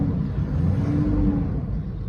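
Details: 2006 Land Rover Discovery 3 2.7 diesel, manual, air suspension replaced by springs, serviced about 10,000 miles ago: steady even low rumble, no knocks, misses or rattles; idling smoothly and healthy.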